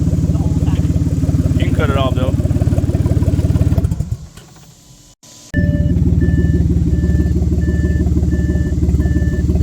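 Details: Audi 3.0 TFSI V6 with codes P0133 and P0136 (bank 1 oxygen sensors): loud, raspy, pulsing exhaust note mainly from passenger side, dropping out briefly and returning; exhaust leak from cracked catalytic converter weld, with bad smell.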